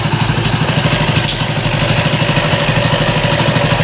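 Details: Hero Splendor Plus after an engine rebuild with a replacement block, idling with the head oil cap loosened to check oil-pump supply: a steady, even single-cylinder putter with light top-end clatter and no knocks or misses. Oil reaches the head, so the rebuild sounds healthy.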